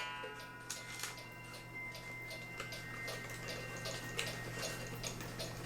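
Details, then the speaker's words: Cuckoo clock after repair, gong pulled back under its screw and retightened: soft, even ticking with a light ring and no snapping. The earlier weird sound during cuckooing is gone and it runs normally. "sounds much better that's odd that that gong would have been making that weird sound"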